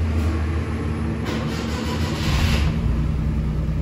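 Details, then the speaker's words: 1997 Suzuki Maruti that would not start and had no check engine light, now running after the faulty relay feeding the computer and fuel pump was found, not the computer; steady low three-cylinder thrum, no stumble; normal idle. "está el mejor funcionamiento tenemos el vehículo en funcionamiento el problema no era la computadora el problema estaba en el relevador"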